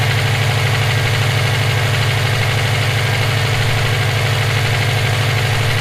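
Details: EJ257 at idle: a low, very regular knock about three a second sits heavy under the exhaust, present for about 17k miles since purchase; owner suspects rod knock, a spun bearing or valve lash. Cause unconfirmed.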